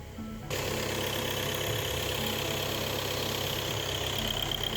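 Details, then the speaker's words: VW Passat B8 2.0 TDI EA288 (DFGA) diesel after repair, end of fuel/coolant bleeding test: after about 5 min at 2,500 rpm and 1 min at 3,000 rpm, engine returns to steady normal idle around 1,000 rpm, even clatter, no knocks or hunting. "And finally, test ends at normal idle RPM."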